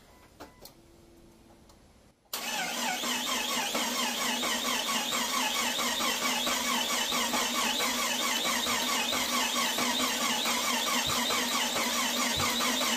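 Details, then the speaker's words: Freshly built Jeep XJ 4.0L inline-six, first start after priming the fuel pump and installing the fuel relay: steady starter churning about two beats a second, never fires; fuel rail turned out empty, clogged injectors or cam sensor timing also suspected; cranks but won't start. "all right let's slow down and think about what could be going on here so obviously first of all the injectors could be clogged second of all our cam index sensor could be off and it's not firing the spark plugs at the correct time"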